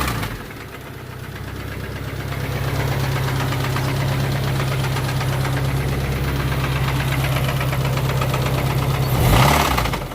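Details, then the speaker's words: Engine knock at idle on a 1992 turbo Accord with a bone-stock JDM H22A (93 pump gas, GT3582 turbo, 1000cc injectors), warm; steady idle with a regular knock about three per second; owner suspects the cam or motor is going, fuel is good, cause unknown. "sounds like the cam scared to drive it their fuel is good so of course I mean in the video at another pit stop as I always do so I really don't know what what's going on with that motor with that sound and knocking"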